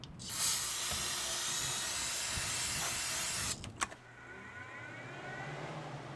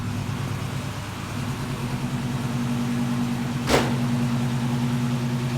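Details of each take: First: LS-swapped G-body Cutlass with a 3-year fuel system problem, long sitting, started on starter fluid. After a short crank it runs rough with a fast light ticking about three per second over it; the owner reports a known lifter issue. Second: LS-swapped G-body Oldsmobile Cutlass that sat for years with a fuel system problem, started on a borrowed battery with cleaned terminals: the engine catches and settles into a steady, even, low, smooth idle, running on its own; normal idle.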